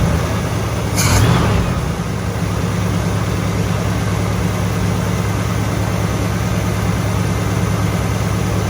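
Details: 1964 Chevelle Malibu convertible V8, first start after engine mount replacement, with the starter and fuel pump removed and refitted: a brief blip, then a low, steady, even idle burble with no knocks or misses, no oil leak. A healthy idle.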